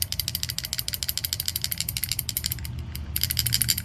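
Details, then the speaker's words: Newly bought Kawasaki KLR650, top end ticking, quieter when cold: sharp, light, uneven metallic clicks about three a second; owner suspects the KACR decompression mechanism. "this is the sound I was looking like crazy online but nobody seems to nobody seems to know or what causes the problem"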